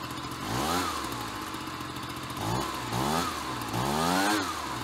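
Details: Ryobi BP42 backpack leaf blower two-stroke, 4 years old, after repairing no-spark, replacing and tuning the carburetor, and redoing the fuel lines: clean idle with three throttle blips revving quickly and dropping back evenly, no bogging; normal running.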